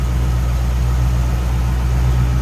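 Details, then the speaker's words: 1963 Chevrolet Impala with crate V8 installed 4-5 years and a few thousand miles ago, Doug's headers, Flowmaster exhaust, aluminum radiator, hood open: deep, even idle rumble with a steady beat, no knocks, ticks or misses; sounds healthy. "aluminum radiator, nice tidy engine, nice setup. Sounds good."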